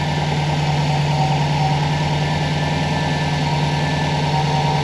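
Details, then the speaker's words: 2004 Subaru WRX wagon turbo boxer after replacing a failed timing belt tensioner that caused a knock: warm steady even idle, low rumble, no knock or tapping; running smoothly. "as you can hear she's smooth as can be the timing belt tensioner was definitely the issue at this point I'm super stoked and it's time for a test drive"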